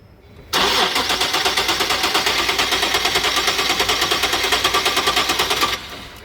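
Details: 2013 Nissan 370Z, 151k km, after maintenance with the battery just reconnected: starter spins with fast even chugs, about seven per second for five seconds, never catches. Fuel line probably refilling; it started after repeated tries.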